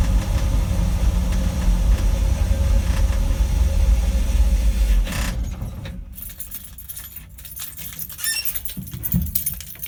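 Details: 1960 Dodge W300 Power Wagon, Poly 318 V8 with a Holley 2300 two-barrel 500 CFM carb and manual choke: fast, uneven idle with a heavy low rumble, then it cuts out; hard starting, high idling.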